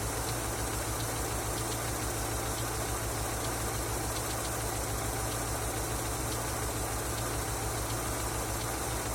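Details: Engine knocking after an oil change: steady idle with a faint, loosely regular tap about once a second over a constant hum; knock of unclear source.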